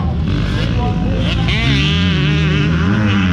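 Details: Honda 125 two-stroke motocross bike racing: crisp, high-pitched buzz rising and holding as the throttle stays open, clean and strong; normal two-stroke at high revs.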